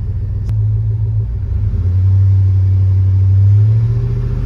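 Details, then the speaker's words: Chevrolet Tahoe at idle after an oil change, oil pressure troubleshooting with a tester reading just under 60 psi while the dash gauge reads 45: deep, steady rumble, no knocks, ticks or misses; normal idle, gauge or sending unit suspected. "so this is reading just under 60 at idle the gauge is reading 45."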